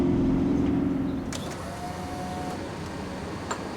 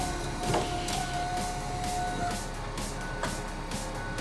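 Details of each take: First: 2000 Ford Explorer XLT 5.0L V8 AWD before repair: sharp squeal at startup fading as engine settles, worn serpentine belt slipping on tired idler pulleys and tensioner; fixed by replacing belt, upper and lower idlers, and tensioner. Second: 2000 Ford Explorer XLT 5.0L V8 AWD after replacing serpentine belt, upper and lower idler pulleys and tensioner; engine catches quickly into a smooth even idle with the previous startup belt squeal gone; normal start and idle.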